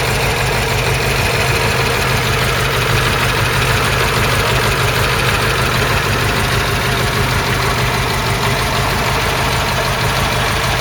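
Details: Ford Cortina Mk3 GXL Pinto engine after the season, engine bay walkaround: steady even tickover with smooth low rumble, no misses or knocks; normal idle.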